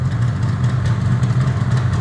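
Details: Yamaha RD350 LC F2 two-stroke, 13k miles, fired up and warming: a steady, even burbling idle with a low regular beat and no knocks or rattles; it sounds healthy.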